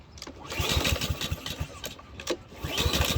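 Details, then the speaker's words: Husqvarna lawn mower salvaged from a trash pile: two or three pull-cord bursts, turning over on compression but never catching; no-start traced to a clogged carburetor. "give it a couple of pulls it does not want to start"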